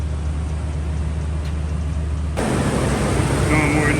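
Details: 2012 Toyota Tundra first start after a new thermostat, water pump and valve cover gasket plus coolant refill, to see if the earlier noise is gone. Even low idle rumble, getting louder partway, no knock, squeal or rattle. Sounds healthy.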